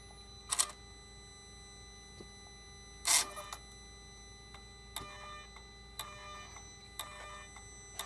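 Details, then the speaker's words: 2008 Mercedes R320 3.0L turbo, scan tool active test of the Y77/1 charge pressure positioner actuator: sharp mechanical clicks about once a second on each command; actuator sticking, causing intermittent power loss and charge-pressure-too-high codes. "I don't know if you can hear the click guys I don't like the clicking sound that this actuator is making"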